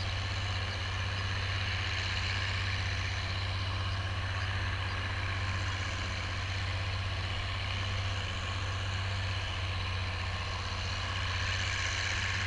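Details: Oliver 1550 diesel tractor pulling a John Deere BW disk after whatever was in the fuel system cleared out; a steady, even drone with a deep, constant beat and no knocks or misses. Normal running under load.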